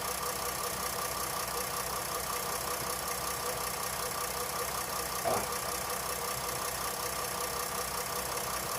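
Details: 2008 Jeep Grand Cherokee CRD Mercedes-designed diesel V6 first start after alternator replacement, battery light off, charging 14.5 V; even steady idle clatter, no misses, knocks or squeals; healthy.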